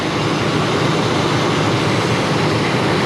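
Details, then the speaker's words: Ford F-250 after new spark plugs, wires and radiator hoses: loud, steady, even idle with no shaking, stumble or miss; all cylinders firing, normal idle. "The motor's not shaking at all, so it's not missing. The plugs are all in there."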